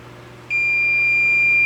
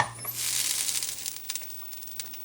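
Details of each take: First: K7000 25-inch arcade monitor chassis that blew fuses: meter gives a single unbroken high continuity beep across original rectifier diode D20/D21, a dead short, likely from hookup without an isolation transformer. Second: K7000 25-inch arcade monitor chassis after repair of blown-fuse fault and oxidized pads: at switch-on a thin high whine sweeps up, static crackle settles, and it powers up cleanly on a circuit breaker.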